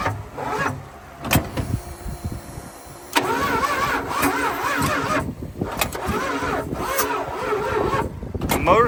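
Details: Plymouth TrailDuster with 360 Mopar V8, first start attempt after 21 years sitting, fuel line primed with lighter fluid, electric fuel pump hooked up: starter whirrs in uneven bursts, engine nearly catches then dies; cranks, won't start. Gummed-up carburetor suspected.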